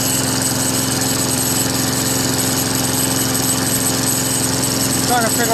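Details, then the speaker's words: Free Craftsman Eager One 4HP Tecumseh 20-inch push mower after carburetor replacement: steady run with a fast, tinny rattle over the exhaust beat. Owner suspects loose inner sheet metal or a thin bracket vibrating. "no no what that damn noise is from never heard it before you guys know what that noises"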